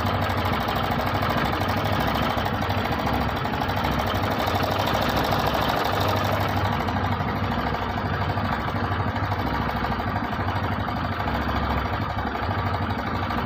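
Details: TVS BS6 single-cylinder commuter bike (Radeon/Star City Plus/Sport) idling: a loose, uneven metallic clatter over the low thump, about three times a second. Timing chain noise from a slack chain and worn tensioner; the fix is refitting the timing chain.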